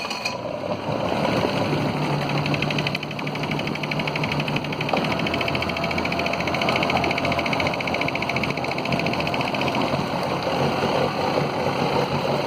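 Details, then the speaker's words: Mercury 40 hp four-stroke outboard, about a 1999, long sat and always rough at idle: it runs fine on fast idle but stumbles and wavers once it drops to idle. "Actually seems to run pretty good on fast idle. As soon as it drops off idle, then it starts running rough."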